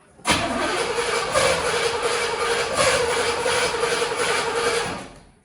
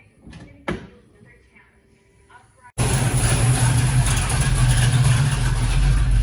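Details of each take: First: 1974 Pontiac GTO 455 V8, long stored, carburetor rebuilt: about five seconds of steady cranking near three beats a second that never fully catches; hard start. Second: 1974 Pontiac GTO 455 V8 after carburetor rebuild: near silence with one knock, then catches and settles into loud steady even idle with no misses; normal idle.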